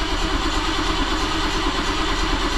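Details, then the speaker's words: 1977 BMW 530i with new starter, jump pack connected, fuel pressure about 37–38 lb on a homemade gauge before a new fuel pump: starter churns steadily for several seconds, engine never tries to fire; crank, no start, cause unknown. "I don't understand what's keeping her from firing no she ain't even trying"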